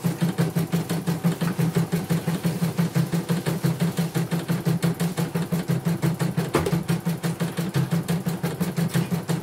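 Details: Portable embroidery machine from Sekayu, South Sumatra, after mainboard replacement and LCD and touchscreen rework. Steady, very even stitching beat about three strokes a second, no knocks or grinding. Operating normally, no problems.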